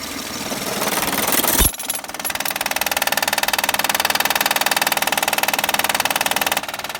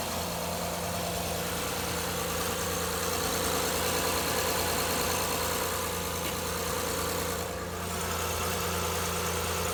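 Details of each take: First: 2011 Honda Accord 3.5l loud knocking noise easy fix by replacing Timing bel tensioner Second: 2011 Honda Accord 3.5L petrol V6 idling smoothly and evenly, no knock or tapping over the steady hum; normal idle, after fixing a loud knocking noise by replacing the timing belt tensioner.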